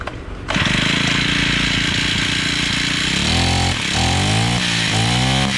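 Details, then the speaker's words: Honda GX35 four-stroke brush cutter after carburetor replacement and adjustment of low and high screws about four turns open: loud even buzz climbing cleanly through quick revs, no stumbling; now runs properly. "E aí a máquina Cê tá trabalhando perfeitamente ela não da valeta partida de novo"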